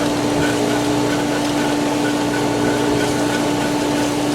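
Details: Pool Polaris booster pump catching prime with air in the line after solar heater drained: loud steady hum with harsh hissing rush and vibration as it pulls air; cavitation until air clears.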